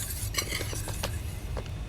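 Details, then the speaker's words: Pocket bike with a big bore top end, fatpipe and lightened flywheel, wheel spun by hand after brake adjustment: a light metallic scrape and ticks four to five times a second as the brake grabs; the owner suspects a crooked or bad rotor. "that's gonna need to be looked at almost sounds like something's crooked there rotor is bad or something"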